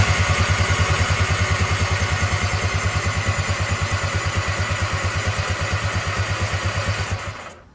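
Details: Tigershark jet ski (PWC) after 15 years sitting, spark plugs brake-cleaned, first start attempt: even rhythmic starter cranking about seven seconds with no firing; water in cylinders being cleared, preventing start.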